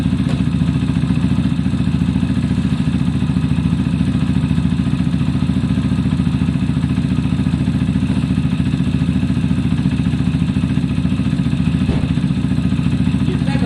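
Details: Zontes motorcycle, after valve clearance check (0.10/0.15 mm), warmed up in neutral: steady single-cylinder thump about three and a half beats a second, even and settled; normal idle.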